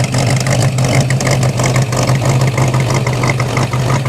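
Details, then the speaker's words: 1957 Corvette 283 small-block V8 (270 HP, factory dual quads, 3-speed manual, 4.11 gears) idling just after start-up; a lumpy idle with a steady light top-end ticking over it, the normal clatter of its solid lifters, nothing wrong. "still has the solid lifters too you'll be able to hear those yeah solid lifters are the best though"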